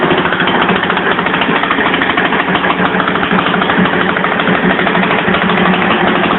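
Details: 1982 Yamaha SR 250 Special Edition single-cylinder motorcycle at idle, probably from when the carburetion was being adjusted: raspy lawnmower-like popping chatter with an open, unmuffled bark; the exhaust line is full of holes and leaking.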